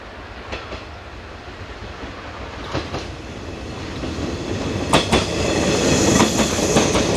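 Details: JR 189-series EMU set N102 passing Kamuriki station on a frosty April 2017 morning: scattered sharp crackles and snaps over the train's rumble as the pantograph arcs on the frost-covered overhead wire.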